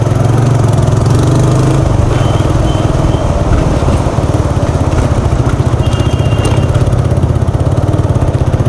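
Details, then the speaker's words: TVS Apache RTR 180 stopped after riding: loud raw uneven single-cylinder putter with chattering rasp, engine note changed as if silencer removed; silencer support loose and whole silencer shaking, exhaust leaking. "देखो जो bike की original आवाज़ आती थी ना वो अब ए नहीं रही और खड़े-खड़े की आवाज़ ए रही है"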